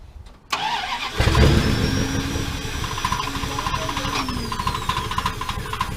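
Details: 1979 Dodge D100 Adventurer V8 pickup with a new mini starter: the starter churns the engine over with a deep, uneven rumble that builds as fuel reaches the carburetor. Normal cranking.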